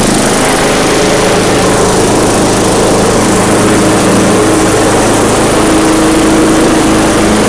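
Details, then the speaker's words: Craftsman yard vacuum with a 4.5 hp Tecumseh engine, bought non-running in a lot of power equipment: steady buzzing single-cylinder run with fan whoosh, even speed, no misses or surging; normal running. "so cool that's awesome i'm so happy about this this worked out well"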